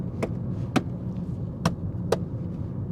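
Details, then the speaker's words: 2005 VW Golf, 109,000 miles, driving: a few sharp irregular taps over steady road and engine rumble from loose interior trim rattles, nothing out of the ordinary; engine, gearbox and brakes otherwise fine. "all rattles you can hear coming through the interior but as expected nothing out of the ordinary"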